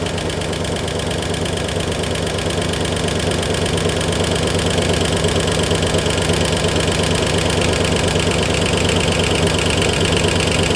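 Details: 1964 Oldsmobile 394 V8 idling hot, temperature gauge near 200–210, steam off the radiator and lower hose, no fan or shroud: a loud, steady knock about three per second develops after the initial tick. Overheating is suspected, not confirmed.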